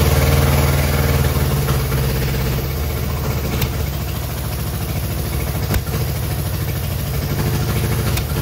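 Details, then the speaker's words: Innocenti S Spyder that sat for years, fed from a fuel jug because the tank and line are clogged, started with choke and starter fluid: low, lumpy, uneven idle that never smooths out; rough running, cause not yet found. "final we have an engine that we can just start up obviously it could be running a lot better than it is right now but at least we have a good platform to work from now"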